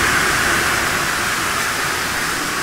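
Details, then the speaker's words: Westinghouse/Teco L510 VFD (single-phase 110 V in, 220 V three-phase out) driving a three-phase squirrel cage fan motor at full speed: loud steady rushing hiss of air, no knocks, rubbing or wobble; normal full-speed running. "and then of course full-bore cities like a damn rocket tricking crazy"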